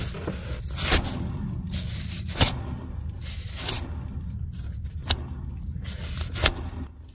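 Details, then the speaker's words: 2013 Chevrolet 3500 6.6L Duramax, one of two alternators spun by hand with the belt off (the other spins smoothly and silently): repeated dry scraping rush; noisy alternator bearing presumed, not confirmed. "That sounds a little bit noisy. So we're going to presume it's this one."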